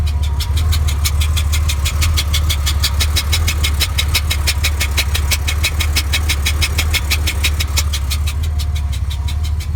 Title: 1992 Porsche 965 (turbo) clicking sound